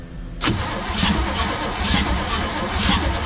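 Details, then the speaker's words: Abandoned 1971 Chevy K-20 after 15 years sitting, wires and plugs hooked up, good oil pressure while cranking: starter churns with a lopsided, loping beat, some strokes heavier than others; uneven galloping cranking rhythm. "we're cranking it over we got good oil pressure it's got a little bit of a Gallop"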